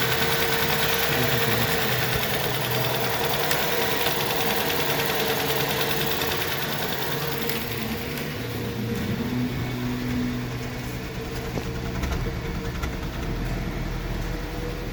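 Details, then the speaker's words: VW 1.4 TSI cold start during the first minute of catalytic-converter warm-up: uneven, stumbling idle with irregular pulses about three per second; misfires on cylinders 1 and 2, attributed to the warm-up software, fixed by disabling fast catalyst heating in software. "При холодному пуску в момент прогріву каталізатора, це десь перша хвилина роботи, у нас діагностуються пропуски запалювання. Причому вони можуть діагностуватися в абсолютно різних циліндрах."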